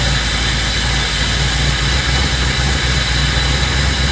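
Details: 1984 Dodge D150 with a 360 small block, after fixing a torque converter knock caused by poorly secured, mismatched bolts; rain may be audible; smooth, even low idle rumble with no knocking or rattling from the bellhousing; normal idle.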